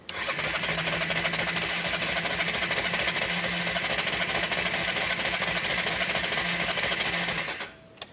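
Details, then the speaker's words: Honda CB250 café racer, cold start without choke after sitting a couple of weeks, battery condition unknown: fast, even cranking about three beats a second for seven seconds that never catches; sounds fuel-starved, needs choke. "Sounds crap. Sounds like there's no fuel in there."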